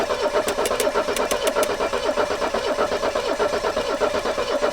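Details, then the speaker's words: 1984 Mercedes 300SD turbo diesel, first start in years, cranked via a new ignition cylinder with the muffler off: a steady cranking pulse with a few sharp bumps and a slight belt chirp. One cylinder is firing, but no start. "all right stop she's hitting one of the cylinders is hitting it doesn't seem like it yet because you can't hear it over all that noise but one of the cylinders is hitting"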